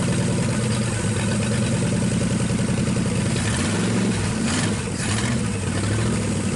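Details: 1963 Pontiac 389 V8 first start, no hood, hot-wired points ignition: fires and settles into an even, steady idle with a brief throttle blip; no knocking or missing, normal idle.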